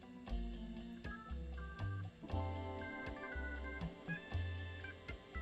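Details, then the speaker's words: One-of-a-kind Soldano prototype guitar tube amp (basis for the Soldano 44), controls at 12 o'clock with reverb up: sharp random pops about once a second over played chords, at first sounding like an open jack, traced to dirty preamp pots. "Just heard some popping. Almost sounds like an open jack. Reverb. Oh, look at that. So, we certainly have some dirty pots."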